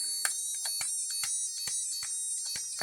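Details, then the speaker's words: 50p electronic burglar alarm kit with a single-transistor, center-tapped-inductor oscillator driving a piezo: a high tone with crackles and dropouts that change pitch as the board is flexed, from loose contacts. "I really like the way you just have to flex this thing to get changes in the"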